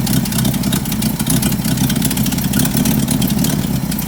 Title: 1975 Bedford CJ running with a nasty exhaust leak